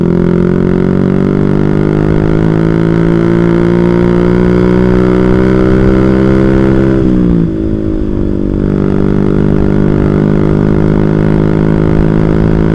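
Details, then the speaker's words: Carbureted small motorbike at full throttle winds up, then suddenly sags and stumbles before recovering; stutter only at high rpm, fine at low rpm; owner suspects the carburetor or possibly the rectifier (kiprok), not confirmed. "jadi ini cuma di RPM tinggi guys kalau di RPM rendah Nggak cuma di RPM tinggi ya kayak gini ya kadang enak gini"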